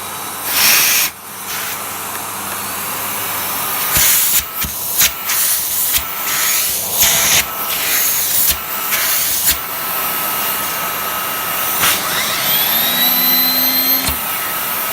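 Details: Miele Cat & Dog TT5000 vacuum after refurbishment, started on minimum: steady airy rush with constant high motor whine holding pitch under handling noise; motor runs smoothly and sounds healthy.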